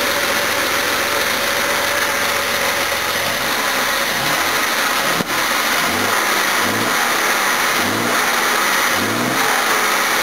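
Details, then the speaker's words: 1969 Jaguar XJ6 4.2L on its first run with a new, very high-compression engine, after adjusting timing and fixing a front carb that passed no fuel: smooth blips with revs rising and falling cleanly. It sounds stronger than the old engine and runs healthy. "that sound keeps better than the old engine it is oh much stronger too very high compression engine"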